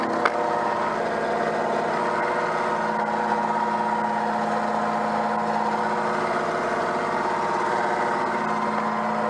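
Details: Peugeot 104 GLS on stands after a brake change, engine running with front wheels spinning: steady drone with a constant whine, occurring only with the right wheel; wheel bearing has no play, cause not found.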